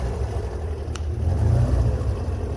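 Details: Pinzgauer 6-wheel-drive military truck, owner suspects water in the fuel; just after a cold choke start in neutral: low, uneven, stumbling rumble that needs throttle to stay alive, before settling to about 1,000 then 750 rpm. Running rough.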